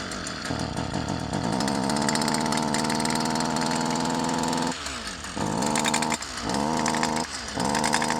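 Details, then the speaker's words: Stihl FS 55 R two-stroke trimmer that bogs and won't rev, soaked in oil from an over-rich, too-much-oil fuel mix: muffled, choked buzz that sags and stumbles, puffing smoke; carbon-plugged exhaust spark arrestor screen. "so you can hear it sounds incredibly muffled and it's puffing smoke"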